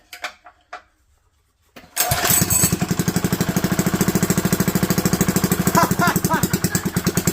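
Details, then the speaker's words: Small engine (GX200/Ducar 212/Duromax 208 type) with a test 3D-printed side cover, started on full choke: hard regular knock with every turn over the engine note, known bad piston knocking. "That knocking is a piston. Okay, we are getting smoked out by the fact we know it has a bad piston in it."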